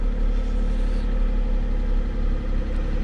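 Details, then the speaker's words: Old Mercedes (called a 300SL) just revived after nine years sitting, being warmed up: even, steady idle with a smooth low rumble and no knocks or misses; sounds healthy. "Well, she's alive and she actually sounds pretty healthy. Let's see how well she idles."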